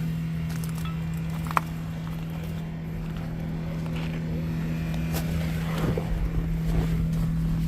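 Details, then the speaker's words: Circa 1960 Jaguar S-Type 3.8L, right-hand drive, 4-speed manual, first start after about eight years sitting: steady low hum with an even whir; electric cooling fans running normally. "that's the fans the fans are working they got better electrical than today's cars"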